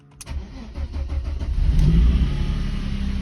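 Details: Mercedes W140 that stalled while driving then refused to start, dash lights blinking, no start authorisation: starter cranks briefly, engine catches cleanly and settles into a smooth, even idle; starts healthy.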